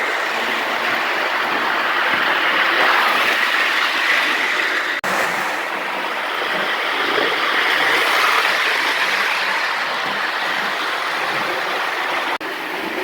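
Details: Lionel gunmetal 1666E locomotive, run alongside an older gunmetal loco pulling passenger cars: even hissing roll with regular clickety rhythm over rail joints, no stutter or grinding; runs smoothly.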